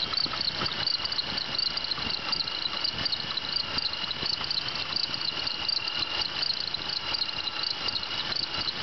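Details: 1996 Bonneville SSEi at steady idle: high, cricket-like chirping and squeal ticking irregularly from the belt drive, a bad idler pulley bearing.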